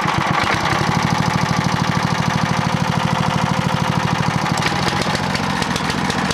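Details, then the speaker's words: Clarke generator with Briggs and Stratton engine after over-volt fix, degreased, running low on fuel: even, steady single-cylinder beat at constant governed speed with no hunting or surging; runs normally. "that's about right that sounds pretty good so that works superbly"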